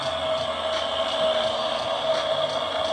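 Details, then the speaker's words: Newer Duquesne furnace inducer motor while running, manometer showing good water column: loud, steady high-pitched scream over the furnace roar; suspected dust from basement renovation in the bearings, internal motor fault, to be opened up. "this thing is pulling a good inches of water column but maybe some dust not inside the bearings and that is what's causing the sound I definitely I definitely want to open this up to take a look it sounds like the internally something is definitely"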